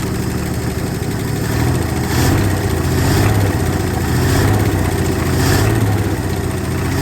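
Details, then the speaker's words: 1968 Ford F100 with 240 inline-six, first start after sitting at least 20 years, no water pump or fan, fuel poured in by hand: loud rough surging idle with busy top-end chatter; owner suspects weak lifters or dry valve train, oil present. "It started. Definitely noisy. So it hasn't run in a long time. But it's alive."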